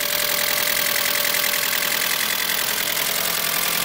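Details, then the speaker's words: Mitsubishi Galant VR4 first started after long storage: loud, hissy running with quick tick about two to three times a second from the valvetrain, suspected lifters not yet filled with oil; owner hopes it fades, and it gets quieter later. "Man, that sounds really loud, man. Hopefully that ticking goes away."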